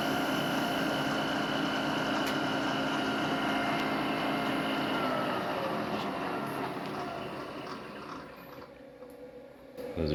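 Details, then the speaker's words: Machine tool cutting frame parts for a DIY hub dyno: a steady high squeal rides over the cutting noise, not from the machining; owner suspects the electric motor or variable speed mechanism, not confirmed. "you can hear, all that squealing, it's not actually coming from the machining. Coming from the, I don't know, the electric motor up there or the variable speed mechanism."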